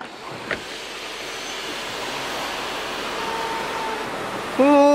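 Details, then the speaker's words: Audi A6 C7 sunroof operating: steady hiss of the motor, then a sharp, sustained high squeal as the panel moves. The squeak was gone after an overhaul and cleaning. "끼익 소리 나네, 그죠? 소음 나는 거 한번 확인해서 조치할게요."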